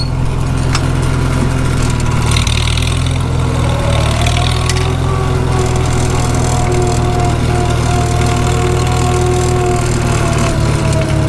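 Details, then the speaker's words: 1945 Farmall H on cold thick oil, pulling in gear: low steady rumble with thin rising transmission gear whine; howls much worse when warm in summer, slated for repair. "can you hear that transmission gear wide it's coming through and that's on cold thick oil when this thing gets warm in the summertime it howls like crazy"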